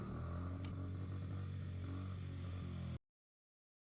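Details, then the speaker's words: 2003 Honda XR50 (CRF50F) single-cylinder idling after idle screw adjustment; steady, even idle, returns to idle after revving without hanging, lagging or dying: idle speed correctly set, normal idle. "It won't it won't lag out and it won't stick backward. And it also won't try to die whenever you crank the throttle."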